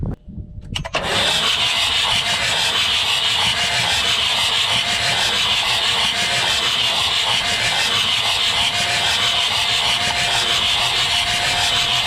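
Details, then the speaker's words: 1989 Ford Super Duty 7.3 IDI diesel, long parked, cranked with jumper cables on the starter and no batteries: slow, even churn about three strokes a second with no lockups; normal slow cranking, no liquid in the cylinders. "it'll turn over off real slow but we can at least see if we got anything in the cylinder"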